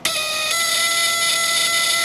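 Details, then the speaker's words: ELENCO Snap Circuits project 353 relay buzzer, 6 V with slide switch: steady even high-pitched buzz as the relay contacts rapidly open and close; working as designed. "relay buzzes because we're rapidly closing and opening the contacts on there"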